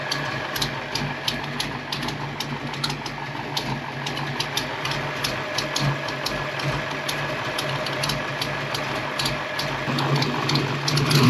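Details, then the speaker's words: Cammed V8 Foxbody Mustang on its old computer after MAF swaps: steady lopey idle, even and settled, with a faint exhaust-leak tick; idle could be raised slightly. "But man, that sounds good. It's actually idling good."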